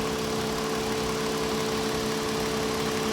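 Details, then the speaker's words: 2022 Toyota Avalon after misfire repair, cylinders checked via ignition coil trigger and scope: even, steady idle with constant tone, no stumbles, skips or knocks; normal idle. "So okay na. Matining na. Hindi na siya."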